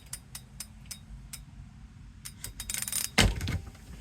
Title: wahoo kickr core clicking noise